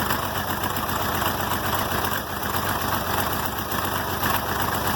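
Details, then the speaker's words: 706 tractor, D436 diesel, cold first start in months: lumpy uneven idle chuff with weak or missing beats about four per second, misfiring until warm; oil pressure present. "Misfiring, hear that? They'll start purring here shortly."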